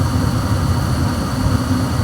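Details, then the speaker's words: Old Trane 80% 80,000 BTU electronic-ignition furnace, no-heat call restored: blower motor kicks in; deep, steady rumble with even airflow roar, no rattles or scraping. Normal blower startup. "here we go here comes the fan come on"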